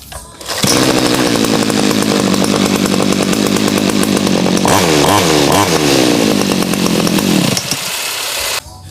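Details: Small two-stroke grass trimmer engine after carburettor throttle adjustment meant to halve fuel use, reassembled: starts, revs with quick blips, settles to a steady even buzz, still strong; running cleanly.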